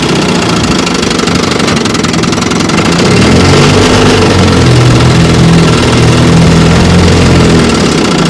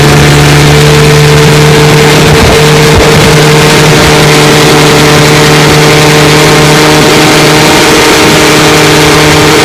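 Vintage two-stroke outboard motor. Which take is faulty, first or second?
second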